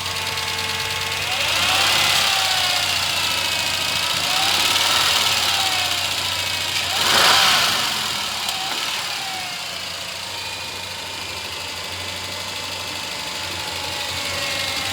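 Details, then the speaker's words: 1998 Ford Ranger, 4.0 L petrol V6, 62,993 miles, out of service about a year: revved a few times, a steady tapping knock about four a second over the engine; location top, bottom or middle unidentified, needs mechanical repair. "This one has a 4.0 L V6 with only 62,000 miles, but the engine is knocking. It's steady tapping, kicking, knocking."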